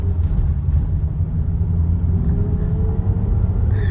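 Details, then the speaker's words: Kia Soul driving under load in higher gear after replacing ignition coils one through three: even, steady engine drone with no stumbles; intermittent misfire apparently cured by changing coil three, still to be confirmed. "right, this is running nice. It's uh once it gets into a higher gear and you put a little load on the engine, that's when it does it. And it's not doing it now."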